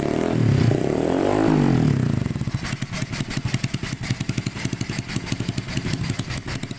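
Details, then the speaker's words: Honda Scoopy FI after replacing a failed camshaft bearing and adjusting valves, fitted with a loud racing exhaust: brief rev then steady even idle with no ticking or rattle, replacing the earlier cam-chain-like noise; normal idle. "teman-teman mohon maaf karena ini pakai knalpot brong atau knalpot racing jadi suaranya Memang agak berisik tapi ini dari suara mesin sudah bersih tidak ada ngetik tidak ada ngelitik dan lain sebagainya"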